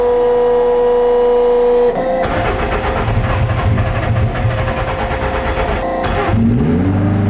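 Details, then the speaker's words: McLaren 720S being rebuilt after a wreck with about $40,000 in new parts: cold start, a tone then the engine fires into a busy, raised cold idle held about four seconds before shutdown. Sounds healthy. "switch. Man, does it sound good. and go ahead and shut her down. So sick."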